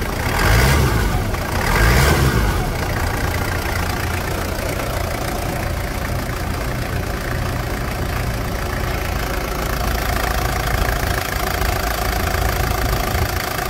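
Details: Toyota Land Cruiser Prado diesel, after replacing broken engine mounts with correct Prado parts instead of SW4 ones: a couple of quick rev blips, then a steady, even idle with no clunks or knocks. Normal idle and revving.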